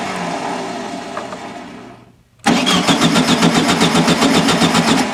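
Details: 1974/75 VW Super Beetle after new Pertronix electronic ignition install, plug wires reset, timing not yet set: starter cranks steadily about four beats a second while the engine catches unevenly and stumbles; owner suspects a vacuum leak from removed airbox.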